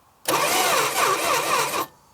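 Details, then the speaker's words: 1966 Plymouth Barracuda Formula S engine, sat for decades; steady cranking whirr about 1.5 s, no catch; distributor found not spinning while cranking, suspected lost timing chain or distributor gear, so no spark. "uhoh what do that again our distributor is not spinning what it's getting sparked but I am spinning the distributor by hand um that's not good"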